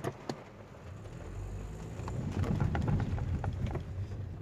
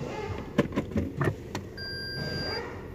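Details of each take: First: 2014 Toyota Vios (Yaris) driven over speed bumps after the hardened stabilizer bushings were replaced, listened from underneath. Two soft swells of tyre and road rumble with no clunk or knock from the front end; the suspension sounds normal. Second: 2014 Toyota Vios/Yaris driven over speed bumps: a quick cluster of dull thuds from the front wheel area, then quiet rolling. A front suspension clunk, cause not yet found; the shock absorbers are not leaking.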